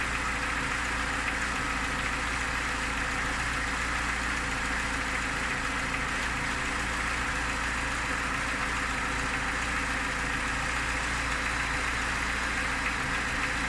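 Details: Lada Niva petrol engine at idle: steady idle with a dull, even tapping throughout; owner asks what the knock is, origin unknown.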